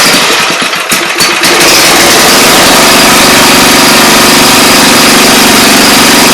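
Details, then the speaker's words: Briggs & Stratton engine, pull-start: after starting it runs loud with a harsh hissy scraping over a steady beat; dirt in the starter clutch keeps it from spinning freely, risking binding or flying off the crankshaft. Starter clutch bearing noise, to be cleaned. "if it gets dirty I can't spin freely which is what's making that noise and you run the risk of binding this up to the point where even fly off the crunch shaft"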